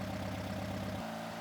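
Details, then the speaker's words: 1971 VW Super Beetle, fresh 1800cc stroker engine during break-in, 38EGAS carburetor: mixture screws set and idle screw adjusted to about 850–900 RPM, giving a smooth, even idle with a steady throb and no misses or knocks. "Once the mixture screws are set, we can set the idle screw at the carb linkage and adjust it until the engine idles at about 850 to 900 RPM."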